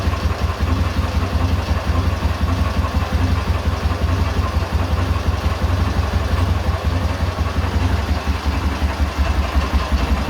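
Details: K-750 motorcycle boxer twin, 6-volt system, ignition coil fed a direct positive, at idle after four timing gears were replaced: low, steady, even thumping with no knock. The earlier knock is gone at idle.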